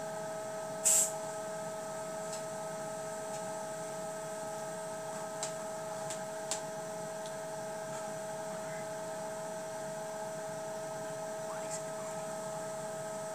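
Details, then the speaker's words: VESDA aspirating smoke detector just booted up: fans start, drawing air in through the sampling tubes and blowing it out; steady, even whirring hum with faint clicks and no wavering in pitch. Normal fan operation. "if you can hear the fans on this just start to turn on so this this here is sucking air out and this is blowing air out"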